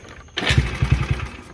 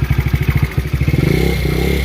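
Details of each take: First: Roughly 2015–17 Taotao GY6 50cc scooter (Yamaha Zuma replica) after new starter and starter relay: short crank catches into a light putter and runs; owner suspects a vacuum leak and sticky carb on throttle. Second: Chinese GY6 50cc scooter (Taotao Yamaha Zuma replica, about 2015-17), first run after new starter and relay: choppy uneven popping at low revs, hesitant climb on throttle; owner suspects a vacuum leak and sticking carburetor.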